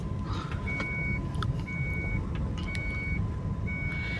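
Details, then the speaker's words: Proton Saga VVT road test after suspension parts nearly all replaced and tyres evened out: steady road rumble without the earlier clunks or knocks, steering light; remaining heaviness suspected from tyres; suspension and steering quiet. "Maksudnya tidak bunyi-bunyi yang sebelumnya bunyi tu. Semua sudah hampir hampalang tukar ini. Steering ringan."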